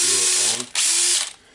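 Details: DeWalt DCD760-type drill after replacing worn carbon brushes (part N109433) and checking the switch: high, even motor whir in short bursts with clean starts and stops. Runs smoothly and sounds healthy.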